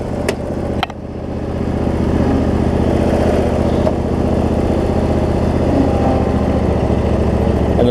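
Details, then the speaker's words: Cub Cadet zero-turn mower with Briggs V-twin, previously running rich with wiring, charging and governor issues, after repair; even steady beat at constant speed, no misses or knocks, "doing a little dance"; normal running, owner thinks it's fixed. "y'all can hear that it's running it's doing a little dance now but the good news is it looks like i got it"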